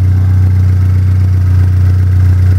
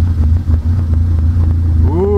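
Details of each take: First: Pontiac Solstice turbo engine idling after its first EFR turbo start-up on the OEM tune. No codes and no oil or coolant leaks. Steady, even drone with no knocks or misses. The owner is still unsure about a strange spooling noise at startup. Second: Pontiac Solstice first start-up after EFR turbo install, running OEM tune, intake piping not finished: rough idle rumble, then a rising whistle-like tone as the clutch goes in; owner asks what the noise is.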